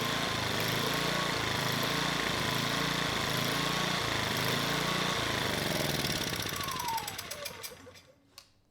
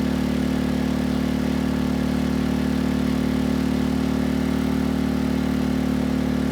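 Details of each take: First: Sportsman GEN2200DFI dual-fuel inverter generator (Yamaha MZ80 clone), after valve lapping and a new ignition coil, with the Eco switch on: engine speed hunts up and down, then dies. A clogged carburetor pilot circuit is suspected. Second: Sportsman GEN2200DFI dual-fuel inverter generator (Yamaha MZ80 clone), after valve lapping and another replacement ignition coil, at 1500 W load: even, steady engine note, smooth low hum, no misses or knocks; no struggle under load.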